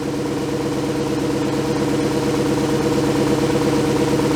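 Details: 2004 VW Touareg V8 with codes P0300 and P0302: slightly uneven, lumpy idle consistent with one cylinder missing; engine misfire at idle, ignition coil believed faulty.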